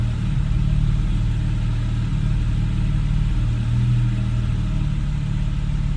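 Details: 2013 Porsche 991 Carrera 4S idling on its own with one brief rev: a low rumble that wavers and dips unevenly with a stumble, owner reports rough idle and hesitation, cause not evident.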